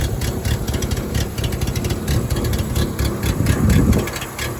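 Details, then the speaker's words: Renault 10 standard model with S engine and dual-throat carburetor, running after probably sitting a long time and hard to start: even, steady idle with a regular low chuff, no misses or knocks; sounds alright. "Yeah. Sounds alright actually. Kind of cool."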